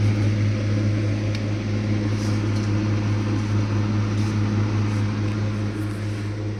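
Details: Blue Star deep freezer: loud, steady low hum with a slight pulsing throb, unchanging throughout. Running noisily; cause not identified.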